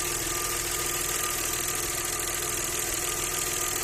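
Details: Audi 100 C4 2.6 engine at steady idle with a light, fairly regular ticking knock, about three per second; owner asks what is knocking, source undetermined.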